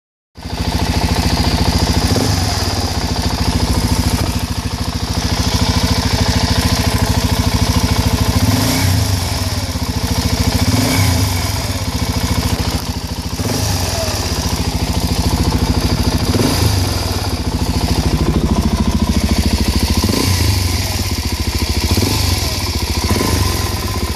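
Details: Suzuki DR-Z400SM single-cylinder engine blipped repeatedly; a strange noise suddenly appears as the throttle snaps shut; cause unidentified.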